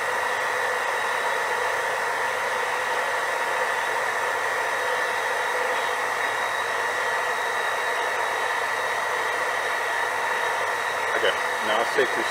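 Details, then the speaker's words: JoJo 1.5 kW variable speed drive booster pump, no flow: steady flat-out whir drawing 1.75 kW, never shuts down as it cannot reach set pressure. "1.75 kilowatt and it's not shutting down with no flow so that means it's tempting to reach that but it's not actually able to reach it"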